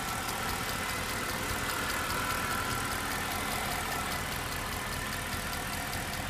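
Steady V8 idle with a light, fast ticking, about three a second, running through it; source of the tick undetermined.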